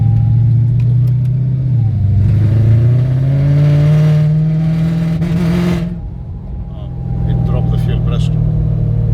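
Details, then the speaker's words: 2012 Mercedes C63, 193k km, supercharger installed, 5th gear pull under boost to 80 km/h: engine pitch rises then cuts out abruptly mid-pull; fuel pressure seen dropping, pressure switch suspected. "That's why it cut. Yeah."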